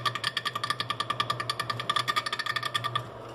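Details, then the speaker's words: Continental RFCT455 duplex frost-free refrigerator: freezer evaporator fan blades clip built-up ice each turn with rapid ringing ticking; control board failed to defrost, fixed by resoldering cold joints and cleaning relay contacts. "chegar com o celular bem próximo e a gente ver o barulho na verdade está vindo desse gelo aqui ó ó ó ah tá acumulando gelo aqui e tá raspando"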